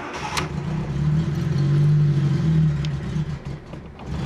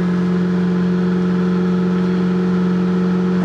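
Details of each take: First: Cold start of a Fiat Panda 4x4 Sisley in cold weather, choke fully out after three accelerator pumps; the engine catches, revs unevenly and nearly stalls, needing throttle feathering because the fuel pump doesn't hold fuel up front and fuel drains back. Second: Fiat Panda 4x4 Sisley cold start in very cold weather, choke fully out after three throttle pumps, throttle feathered initially because the fuel pump doesn't hold fuel forward; steady even raised fast idle on choke, no misses or knocks: normal cold idle.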